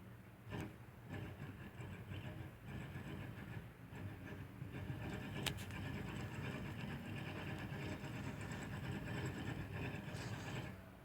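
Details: Rear wheel bearing on a 2005 Nissan Altima, badly worn: deep, constant rumbling growl while driving.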